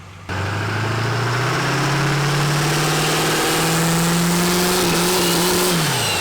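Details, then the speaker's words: 1300 HP Duramax diesel after new Industrial Injection XP600 CP3, 200% Flux injectors and FASS fuel pump: catches and runs up smoothly, steady rising drone, no knocks, misses or rattles; fuel system healthy. "Fuel launch. This sounds so good."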